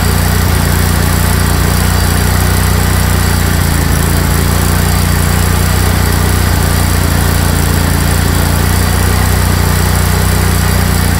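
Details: Craftsman GT tractor (model 917.258873) with 18.5 hp Kohler CV18S 624cc V-twin, formerly hard-starting, running after carburetor replacement (Kohler 24 853 41-S, new gasket); steady constant speed, firm low beat, no stumbles or misfires; normal running.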